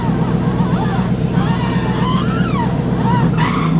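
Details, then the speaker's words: 1989 Chevy Blazer with 1-ton swap and GM hydro-boost brakes, engine running while bleeding by turning lock to lock; loud wavering high squeal at right full lock, none at left; power steering squeal, cause suspected not confirmed. "There we go. You can hear it squeal. Hopefully."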